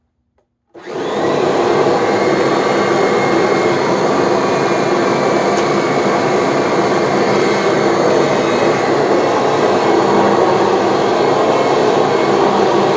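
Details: Kirby G3 vacuum motor spinning up to a loud steady roar with a faint constant whine on top, coming from the transmission; owner aims to eliminate the whine and smooth the engagement.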